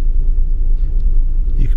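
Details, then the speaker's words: Vauxhall Tigra 1.4 after cleaning and spraying cleaner, O2 sensor changed (possibly wrong one): low idle rumble running smoother but with a faint uneven chug now and then; slightly rough idle, cause unknown, MAF cleaning planned. "before well started a bit smoother and it's running a lot smoother as well so maybe just maybe oh no no there's a little bit chug in"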